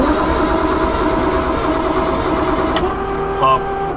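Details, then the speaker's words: Nissan S15 Silvia drift car engine with no spark plug in cylinder 5; rough, lumpy idle with uneven exhaust beat: misfire from the missing spark plug, running on five cylinders. "Is that what it normally sounds like? It's got no spark plug in number 5."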